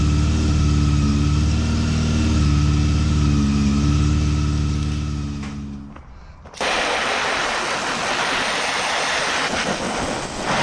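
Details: 2009 Honda CB400 V-Tec four-cylinder, sat for years, after new fuel pump, new battery and fuel-line part; steady, even idle with a smooth low hum and no misses or knocks, then it cuts out; sounds healthy.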